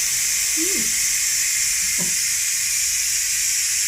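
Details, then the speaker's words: Ninja pressure cooker switched to keep warm, release valve on top turned right to vent after cooking beef brisket: a strong, steady high steam hiss without sputtering. Normal pressure release. "What I have to do, I have to just turn it to the right to release the pressure. So I'm using that just in case. Can you hear that?"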